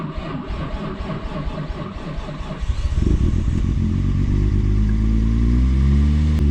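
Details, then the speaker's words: Built 550HP R33 Skyline RB25DET cold start after cleaning and bleeding the hydraulic lifters: about three seconds of cranking, then a rough idle with bad lifter ticking, expected to settle; ticking was gone after a test drive. "i can hear the lifters ticking pretty bad right now that's pretty normal i think it'll calm down very soon"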